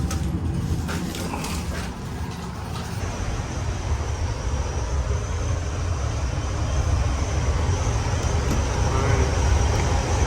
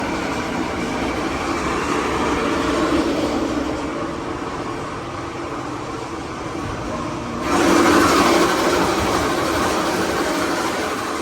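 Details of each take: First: York chilled-water air handler after repair (broken part and missing bolts found, motor tension adjusted and laser-aligned, 460 V): steady, even low blower rumble building slightly as it settles, noticeably quieter; normal operation. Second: Chilled-water York air handler, reported noisy with noise that comes and goes and weak cooling: loud rumbling blower with a rhythmic rattle about three beats a second from a failed blower motor bearing; bolts also missing or broken off.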